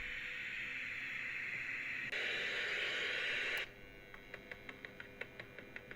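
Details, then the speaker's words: Realistic TRC-1005 CB radio after repair of no power on external DC jack, speaker and channel changer reconnected: loud, even static hiss through the speaker, then steady faint ticking; receiver audio working normally. "let's put our channel changer back on because i was going to strip this radio down but it doesn't need to anymore as you can hear we have sound"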